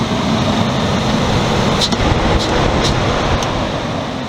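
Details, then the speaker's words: 1999 Ford Explorer after replacing the serpentine belt, tensioner and idler pulley: steady engine run with an even hum and no squeal or chirp; the accessory drive now sounds healthy. "that sounds a whole lot better not squealing at all"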